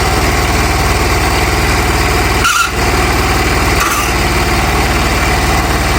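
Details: Hatz single-cylinder diesel on homemade Sears garden tractor; even, rapid thudding chug at steady pace with no knocks or misses: normal idle.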